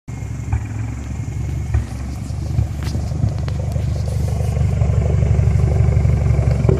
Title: 2008 Evo X Rough Idle